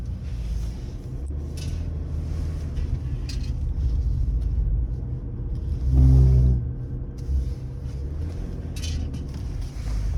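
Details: BMW E60 530d at 20–40 km/h turning left: low droning hum and vibration in the cabin swelling briefly; owner says everything checked seems OK.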